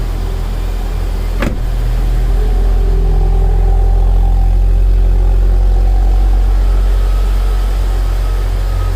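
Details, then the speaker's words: 2011 Mitsubishi Eclipse 2.4L, crank-no-start case, now restarted after repair with the belt back on and coolant leaks fixed; check engine light on, not yet warmed up. Deep, smooth, even idle with steady low rumble, no misses, knocks or ticks. "seems to be idling pretty smooth"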